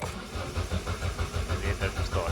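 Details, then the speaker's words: Ford Bantam Rocam 1.6 petrol with the 10 A number four fuel pump fuse pulled to relieve fuel pressure before a filter change: steady cranking thumps, about six a second, catch briefly but never settle into idle; it starts then dies immediately. "Let's give the engine like a couple of cranks. So, it starts and then dies immediately."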